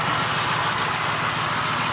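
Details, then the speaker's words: 1999 Mercury Grand Marquis (Panther platform, P71) 4.6 that developed a miss in cold weather: rough, lumpy idle with uneven stumble and visible engine shake, a misfire. "you can see it shaking which that's not how Willie runs at all huh"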